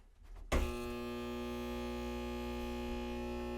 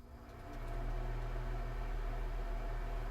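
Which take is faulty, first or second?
first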